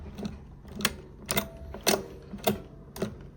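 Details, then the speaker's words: Teletype Model 33 KSR, unpowered, its mechanism turned by hand; slow, uneven sharp clacks about twice a second; likely gummed up, with possible slop in the motor bearings suspected, cause unconfirmed. "You can see that I can move this by hand. It seems to be clicking and clacking here."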